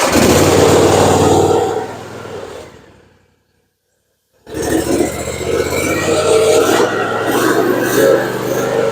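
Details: Cub Cadet ZT2 50 mower, Kawasaki FR691V V-twin, after oil, filter, fuel filter, air filter and spark plug service, at half throttle with choke: steady even drone, no misses or knocking; normal running.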